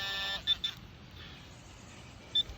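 A high, steady electronic tone, then three short chirps: the pinpointer sitting directly over metal.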